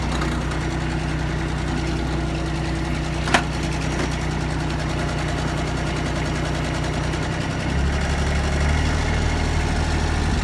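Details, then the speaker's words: Kubota ZD326 zero-turn mower bought in 2006, about 230 hours, after deck belt replacement and centre pulley wobble repair, deck engaged at low throttle: steady engine drone, deck spinning smoothly, no belt slap or pulley wobble; all pulleys running true. "you can see down there everything's turning the hole is turning nice and through following like it was i can look at my left side pulley"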